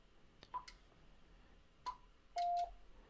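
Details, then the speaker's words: Icom IC-7300 internal auto antenna tuner at the top of the band with SWR near 3:1: button clicks, two short high beeps, then one longer lower tone; no relay chatter and the tune indicator stays off. "and there you notice it keyed very briefly but the tune indicator is not on and we'll try it again"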